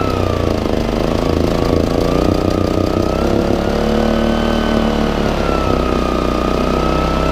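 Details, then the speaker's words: Baliy 3700 W remote-start portable generator, unused over a year, buildup in the carburetor: runs but the pitch sags and wanders, searching and hesitating before balancing; hunting idle from a clogged carburetor jet. "so go mode right now it's searching a little bit port is wouldn't be too bright it's starting to balance"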